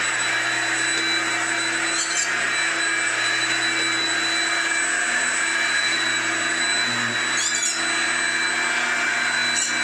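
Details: Hoover Junior U1650 (last Turbopower-generation) upright vacuum, came in with no airflow, after repair of a stripped, spun-off fan: steady, even motor whine, constant pitch, no rubbing, rattling or flutter; fan spinning true, normal running.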